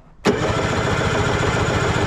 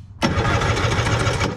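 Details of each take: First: 1970s Wetco Wetbike that sat about 25 years: about three seconds of steady, even cranking with no firing at all. Crank-no-start from no spark; the ignition wiring was fine and the ignition coil was bad. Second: 1970s Wetco Wetbike, sitting about 25 years, compression test with seized closed throttle: brief fast even cranking with steady pulses; about 145 psi on both cylinders, healthy engine.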